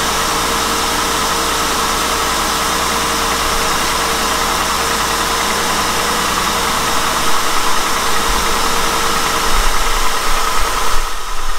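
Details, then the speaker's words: Honda with about 102,000 miles, idling: fast, light, busy and uneven ticking clatter from the valvetrain, worse in drive as rpm drops. Valve lash is too loose from valvetrain wear and needs a valve adjustment. "they're too loose there's a lot of clatter and valve train valve train noise in this car"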